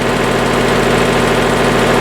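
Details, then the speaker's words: Hydraulic lift after clearing a suspected wedged stone that crushed the mechanism: even, steady pump hum with constant pitch, no strain, chatter or squeal; lift rises and lowers normally, considered fixed. "That's probably what it was. I think we're good now though. Lovely. Fixed."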